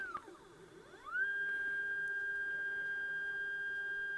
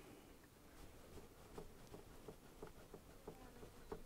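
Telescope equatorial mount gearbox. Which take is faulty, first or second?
second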